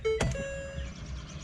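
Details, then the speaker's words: Wrecked 2017 Ford Police Interceptor just after the negative battery cable was reconnected. A single two-note ding-dong is heard; it is the driver-door-ajar warning chime. "I hear a ding dong inside let's get in the dead let's get inside you hear that we've got that stereotypical Ford ding a dong alright"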